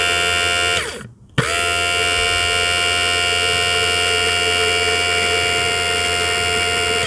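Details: Audi A4 diesel in-tank fuel sender pump, removed and bench-tested on a fused link wire: clean, steady high-pitched electric buzz that cuts out briefly then restarts and runs evenly, no crackle; the pump is healthy.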